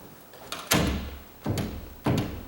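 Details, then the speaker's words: Door that rubbed at the top, hinge screws checked tight, now checking strike plate adjustment: pushing the shut door gives three dull knocks as it shifts in the latch, play between latch and strike. "if i push on the door hear that i do it does have a slight spring to it because i been adjusting these and everything"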